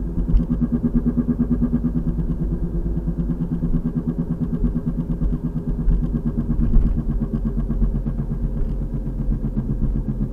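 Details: 2003 VW Passat FWD, 180,000 miles, torn passenger-side axle boot: deep regular boom-boom pulse over road noise, faster with speed, worsening over three weeks; not a CV click, owner unsure if axle or bearing.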